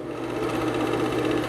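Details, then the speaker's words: Vintage Kodak Brownie 500 A5 movie projector No 225, motor on and switched to forward; steady even mechanical whir, constant low hum and fine rapid clatter, no knocks or catches; mechanism running normally. "If you see back the air making the curtain wave, let me turn the motor off. The wave stops. Turn it on. You can see the fans blowing."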